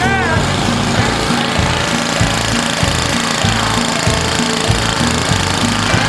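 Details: 1970 Hahn rototiller barn find, Briggs engine with points, condenser and auto-choke carburetor, after tank cleaning and fresh fuel: single-cylinder engine running with a steady even beat under background music; started and runs normally.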